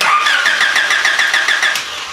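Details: Honda with no-spark, no-start condition, coil being tested: starter spins briskly at about seven even pulses a second and the engine never fires or catches; crank-no-start with no spark.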